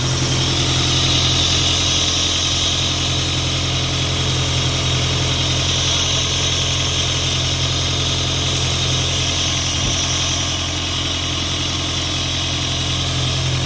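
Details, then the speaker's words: Isuzu 4LE2 diesel engine on an air compressor, after repair of a no-start (cylinder 4 had been blamed, smoke came out the intake): steady even idle with a firm low throb, no misses, knocks or hunting; normal diesel idle. "bale Ito okay na umaandar na siya hindi kamukha nung pinuntahan natin ito na hindi talaga siya makuhang umandar"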